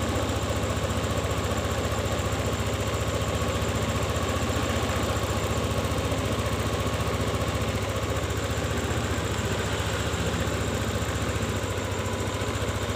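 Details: Yamaha Lexi scooter that died when throttle released, after ISC sensor reset (screw in fully, out 2.5 turns, key cycled 5 times): now holds a steady, even idle, idle speed higher, no hunting or dying.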